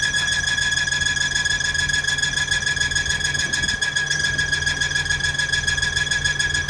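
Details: Engine running with a steady, piercing squeal held at one pitch over a fast, regular pulsing; the cause of the abnormal noise was not identified.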